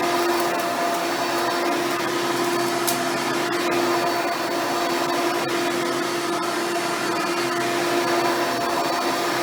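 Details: Hoover Spectrum (Elite-style upright vacuum) run after installing a new belt and brushroll: steady, even motor roar with clean whine on top, no slapping or flutter; runs smoothly and healthy.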